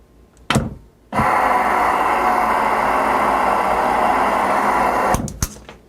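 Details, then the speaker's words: Salvaged powered-wheelchair large DC motor run on about 20–24 V supply after continuity checks: a couple of clunks, then a smooth steady hum with no knocks or grinding; this motor works, unlike its corroded twin. "maybe we can save the gearbox or something but this one sounds like this one works"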